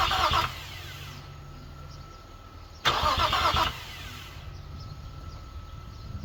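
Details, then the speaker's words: Infiniti G35 after an engine fire, first crank attempt with a new alternator and rewired starter: two short bursts of cranking that never fire. A raw fuel smell is noticed; two cylinders are thought to lack spark. "Nope, don't see any gas or anything anywhere, but it does try to turn, guys. I'm definitely hype about that."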